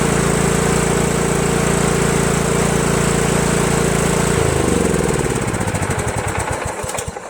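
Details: Craftsman LT1000 lawn tractor single-cylinder after a temporary direct fuel line from tank to carburetor, as earlier surging was suspected to be fuel delivery: steady even beat, no surging, then switched off and winds down.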